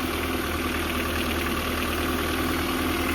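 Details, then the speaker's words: Nissan D21, cold engine at idle, after installing NGK plug wires: light, uneven tapping about three per second over the engine note from the top end; owner suspects a lifter or rocker arm. "What do you guys think? Oh yeah, I think it's definitely a lifter arm. It's coming from like right over here."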